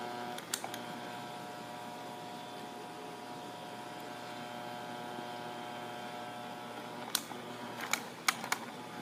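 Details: Asahi PF 620 electric fan hums with a steady buzz, broken by sharp, irregular rattling clicks.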